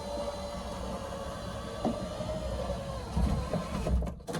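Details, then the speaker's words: A steady, strained motor whir with a slight rattle as the glass creeps upward. The original power window motor that came with the car is weak and slow; the owner suspects these motors just go bad. "I had that motor that came with the car, and I said, let me mess with that. Here we are. It is not great, but it does go up."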